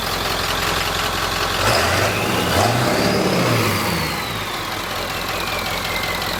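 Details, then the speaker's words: 1946 Ford, cold idle on first run out of shop, downsized radiator, coolant only cool-warm, nowhere near thermostat temperature: steady petrol idle evening out with a brief blip in the middle; normal cold idle, smoothing out. "just listen to it it's smoothing out a little bit cool warm nowhere near the thermostat"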